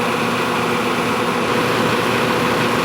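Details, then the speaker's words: Nordyne air-conditioning condenser unit fan running dry: steady, smooth whoosh with no rattle, thump or wobble and no excessive vibration; when wet the original 2-blade fan got loud, fixed by fitting a 3-blade fan. "now it's running and it's dry, and the sound level is about what you would expect from the fan system."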